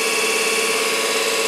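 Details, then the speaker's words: 24 V DC motor (prime mover for a 1943 Genemotor) before service, benchmarked at about 12.14 V and 3.96 A: a steady high whine of constant pitch. High drag from very stiff sealed bearings and/or brush tension (owner unsure which); to be stripped, bearings freed and oiled, brush tension reduced. "we're going to strip it down and clean up all the bearings Prem up then oil in take a bit of tension off the brushes in make the motor as efficient as we can get it"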